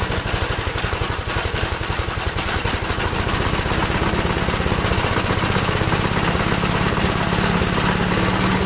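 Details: 1969 Gravely LI intermediate-speed tractor, single-cylinder engine: uneven, stumbling, irregular idle, running rough and worse once warmed up; cause not yet found.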